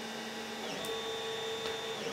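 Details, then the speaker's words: Stock Creality CR-10 3D printer printing, before fixes: constant singing tones and sweeping whines from stepper motors over fan hiss, vibration carried through frame and walls, louder at higher print speeds. "d by the motors and how when I have the printer sitting on the floor you can hear it even two stories up in the same building as it travels through the walls and it just is annoying as all hell"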